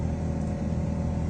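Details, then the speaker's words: Car's A/C blower fan roars loudly with a rough, fluttery edge, worse at higher blower speed; dirt built up in the blower wheel. "La ventiladora del aire no debería sonar así. Oye, cómo está sonando."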